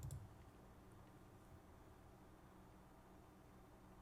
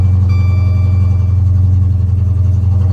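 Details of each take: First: Dodge SRT8, 6.1-liter Hemi, 100,000 miles, wrecked but run-and-drive at auction: after a quiet start it settles into a steady, even low idle with no knocks or misses; sounds healthy. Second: Damaged Dodge Charger SRT8 at auction (6.4 Hemi stated), just cranked; deep V8 idle with uneven loping pulse about three to four times a second, running rough with check engine light on. Cause unknown.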